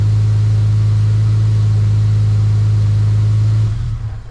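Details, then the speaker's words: EL Ford Falcon XR6 Turbo that died on the road, now running again after repair, fuel pump priming then cranking and starting; strong, steady low drone held evenly, then dying away smoothly at shutdown, no knocks or stumbles; normal. "Crank and start, but it works. The car runs again. Yes! Yes!"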